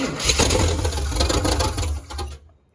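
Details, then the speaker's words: Chevy K5/K10 neglected for years, first start attempt; previously stuck parts now freed, accelerator pump spraying, possibly water: engine catches, runs roughly about two seconds, then dies. "So she's a runner, boys. She's a runner. I'm happy with that."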